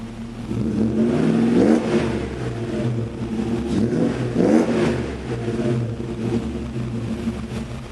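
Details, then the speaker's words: 1994 Mercedes E420 V8, 177,077 miles, still cold at about 40°F, recorded in a garage so it probably sounds a little louder: deep, even rumble rising and falling with throttle blips, no knocks or misses; vapor is condensation, not smoke; normal idle and revs. "So yeah, she sounds pretty good. Don't be scared, it's not smoke, it's condensation."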